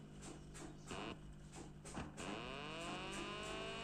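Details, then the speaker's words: Amplifier with a fan line taken from the 712 supply output: a low motorboat-like hum pulsing about three times a second. The fan and USB module share a mingled ground, causing a ground loop. "Motor boat on ஆகுற மாதிரி ஒரு sound வருதுங்களா இதுக்கு காரணம் என்னன்னா நம்ம பார்த்தீங்கன்னா நான் வந்து இந்த 712 ல இருந்தே அவுட் எடுத்தோம்னா அந்த மாதிரி வருது usb யோடது ஒன்னா கலக்குது அது ரெண்டும் கிரவுண்ட் ரெண்டும் மிங்கில் வரதுனால அந்த மாதிரி சவுண்ட் வருது"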